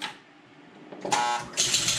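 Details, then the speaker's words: 1977 Gottlieb Jungle Queen electro-mechanical pinball after fixing loose stacks, a burnt coil and the player adjust wheel: short bursts of clattering relays and a brief ringing buzz as score steps up; scoring works, though ball not kicked out. "we got score it picks up where it left off"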